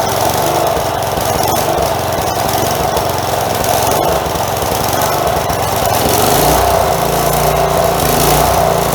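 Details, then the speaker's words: Four-horsepower Craftsman edger that sat outside for many years, first run after carb replacement (sand found in old carb): small single runs fairly well but surges slightly, with the breather and air filter not yet reinstalled. "okay it actually sounds pretty good considering that she's been sitting for many many many years it's surging a little bit but we haven't put the breather back on it yet either"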